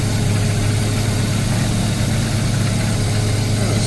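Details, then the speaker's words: Mazda RX7 FC rotary, warm idle about 1,100 rpm after coolant change and flooding fix, no crankcase blow-by at oil filler; smooth even low burble with no misses, knocks or hunting. "to be highly nice and smooth"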